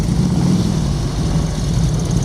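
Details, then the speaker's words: 1999 Harley-Davidson Road King fitted with an aftermarket Chinese CV carburetor clone, idle jet turned half a turn, on a lift with a fan blowing: deep, loping, even V-twin idle, background rattle from lift; runs well. "But I think that's running pretty good."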